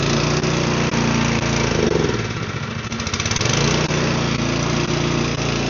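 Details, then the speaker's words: Snowblower small engine, air cover back on, runs rough and sags, dipping and recovering. It only runs on choke and won't hold steady, suggesting fuel starvation. "it runs on choke. It doesn't run regularly, it only runs on choke, so it's not getting enough fuel."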